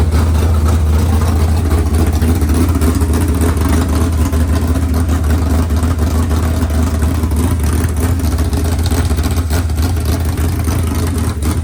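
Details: Freshly rebuilt 383 small-block V8 for a C10, running on an engine stand: deep even rumble holding steady, no knocks or ticks; sounds sweet, normal running.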